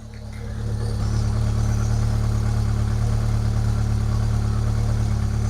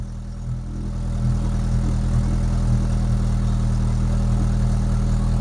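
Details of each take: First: Rover 25 GTI 1.8L VVC petrol engine, cold, after replacing rocker cover gasket: fast idle with revs hunting up and down before settling lower; earlier misfire seems cured. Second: Rover 25 GTI 1.8 VVC after replacing rocker cover gasket and HT leads, first start cold: steady fast even idle settling after a second, no stumble or skipped beats; previous misfire appears cured.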